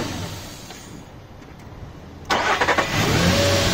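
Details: Nissan Pathfinder cranked on a Maxwell 16V 500F supercapacitor alone, with the battery negative disconnected and alligator-clip connections. It gives a short, brisk crank, then catches cleanly and settles into a steady idle. Cranking is normal.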